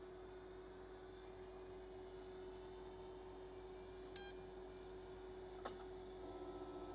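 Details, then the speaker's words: Olivetti M24SP 10MHz 8086 computer recovered from trash, booting MS-DOS 3.2 floppy with Western Digital controller card: hard disk spins up with steady high whine, then sharp head-seek clicks; slow to come ready, possibly a marginal drive. "I can hear the hard disk is spinning"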